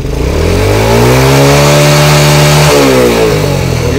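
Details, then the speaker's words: Honda Grand motorcycle after replacing regulator-rectifier, camshaft and rocker arms: revs up smoothly, pitch climbing and holding before dropping back, strong even pull, no stumble; headlight bulb no longer blows; slight cam chain noise remains; normal revving. "digeber pun sudah nggak putus lagi ya Kalau kemarin setiap kali diganti bohlam yang baru digeber langsung putus untuk nafasnya ini udah napasnya udah panjang ya udah mau Meraung tinggi"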